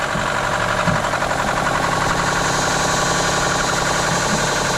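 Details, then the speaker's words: Lexus SUV engine that was run out of oil, restarted after oil added by hand and a jump box: heavy metallic knocking about four per second over a rough idle; bearing damage from oil starvation. "The sound that you're hearing is $20,000 just going out your pocket. And they just put brand new tires in this thing too. That's sounding terrible."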